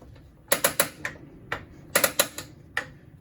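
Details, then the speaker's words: 2020 Starcraft Autumn Ridge 21RBS travel trailer propane stove, valve open to purge the system: sharp dry igniter snaps in quick clusters, about a dozen in three seconds, until the burner lights; normal igniter clicking. "And just keep on hitting that igniter until you eventually get a flame like so."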